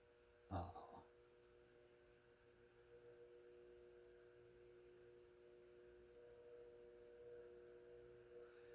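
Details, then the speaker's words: Fasco Heat Cycler model C52 commercial/industrial ceiling fan running: quiet room with steady low electrical hum and faint mid tone; louder than expected (metal on metal and plastic), judged quieter end of living-room level. "I would have expected these to be. Well, I wouldn't have thought it'd be that loud. Well, it is all metal on metal and plastic."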